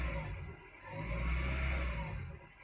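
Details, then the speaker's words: 2000 Honda Prelude SH, H22 engine, cold off the pedal before the fix: idle swells up and sags back down every couple of seconds instead of holding steady; surges until warm, then worsens, but holds fine with throttle held. "but if I let it sit down at idle this is me off the pedal it just does this at an idle until it starts warming up"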